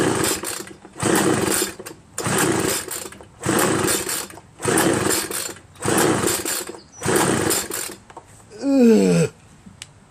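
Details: Homelite 25cc two-stroke leaf blower, spark and fuel confirmed: repeated rope pulls about every 1.25 seconds give a whirring spin but never fire; no compression from a scored piston found at teardown.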